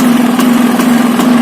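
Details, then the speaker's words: Bajaj Discover 150 after cold start following years unused; accelerator locked at full throttle so the engine holds a steady high drone without returning to idle, carburettor needs adjusting: engine racing with throttle stuck open. "അതാ accelerator ലോക്കാണ്. ഇതിതാ നമ്മൾ കുറച്ച് കഴിഞ്ഞാൽ വണ്ടി of ആവും."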